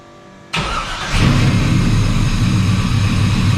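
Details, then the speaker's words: Squarebody Chevy C10 with newly installed Holley Terminator X EFI, first start after fuel pump prime: brief crank, catches in half a second, loud lumpy choppy idle from a rowdy cam; clean healthy start. "So let's go ahead and fire it up."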